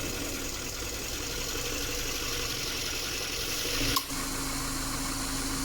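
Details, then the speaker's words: Subaru at 68,000 km after repair of a leaking evaporator: compressor oil drained and refilled, O-rings replaced, refrigerant charged to spec, gauge pressures normal, vents 6.4/7.9 °C. Idle with a steady, even hum and light hiss; A/C compressor now quiet and normal. "คอมแอร์ก็เงียบลงนะคะหลังจากที่เราถอดคอมแอร์ออกมาถ่ายน้ำมันคอมและได้เติมน้ำมันคอมใหม่เข้าไปชดเชยนะคะ"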